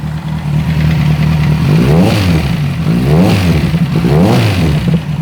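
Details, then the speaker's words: Kawasaki Z1000 inline four revving up and down three times with a clattery internal mechanical noise. Ignition timing was off; resetting it improved running, but the noise persists. Parts are damaged, and the engine must come out for disassembly. "Colocamos no ponto, percebemos que o funcionamento da moto melhorou muito, porque estava fora de ponto, porém o barulho não para."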